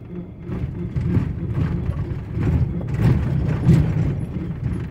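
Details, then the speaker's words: 2006 Ford F-150 4x4 driving, low uneven rumbling with irregular clunks from driver's side front, intermittent; suspected broken 4x4 hoses, hub not engaging actuator properly, or damaged hub, unconfirmed. "Este ruido ya lo había subido en un video anterior. Este es una F-150 2006. Lo hacía el ruido y luego se le quitaba."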